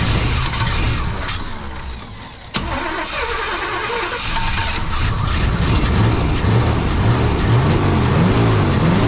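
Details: 1992 Chevy C1500 with its original small-block Chevy 350 TBI, recorded just after an intake change with the timing badly set: ragged start, then an uneven, stumbling, lumpy idle that never settles; rough idle from incorrect ignition timing.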